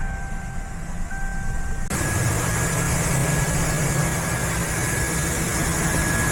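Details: Ford petrol engine restarted after replacing a torn breather hose that caused a vacuum leak and clearing codes: catches and settles into a steady, even idle with no vacuum-leak hissing; normal idle.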